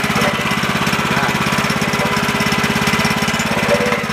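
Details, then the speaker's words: Woodland Mills HM130 Max sawmill with Kohler engine, first start of the year, oil full: steady even fast firing with no misses or knocks, started right up and running good; normal running. "All right, she's running good."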